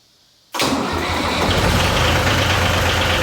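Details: Yanmar YM276 diesel tractor started after clutch and pilot bushing replacement: catches from silence and settles into a steady, even idle with no knocks or grinding; runs healthy.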